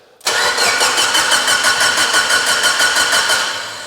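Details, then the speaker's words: Abandoned Mitsubishi Evo 8 restoration first start attempt, base map, immobilizer disabled, 30 PSI fuel pressure, no leaks: starter spins at a steady chug but never catches; crank no start, spark and codes to be checked. "I'm have to check for spark all right she should have fired by now let me scan codes"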